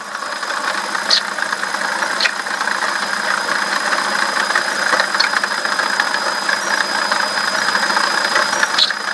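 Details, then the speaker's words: BMW E65/E66 at a slightly rough idle: thin, steady high squeal that stays with engine speed, squeaking for a couple of days. Slight pump wobble and no coolant leak; owner unsure whether it is the pulley or the bearing. Failing water pump bearing. "but my water pump bearing is going out it's been squeaking pretty bad like that the last couple days how it kind of runs rough like that"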